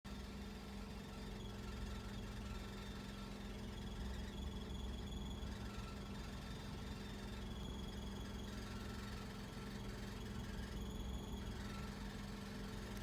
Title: Fluctuating iddle when engine is warm, rough idle